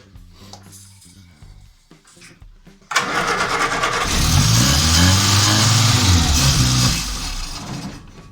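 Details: Morris Minor van, first start attempt, run on hand-poured fuel/starter spray: cranks, catches and revs unevenly a few seconds, then dies; no fuel reaching the carburettor from the float bowl, fuel starvation stall.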